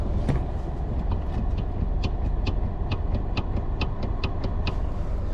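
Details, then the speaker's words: 2013 Toyota Camry: sharp light taps about two a second from the steering column as the wheel rocks side to side, with vibration also heard on straight roads; the cause is a worn steering coupling damper, not the intermediate shaft. "see let's do as you go side to side you can hear like a tapping noise down there and as you're driving down the street as you're driving down the street especially on a straightaway this guy um you can hear vibration from underneath from the steering column area"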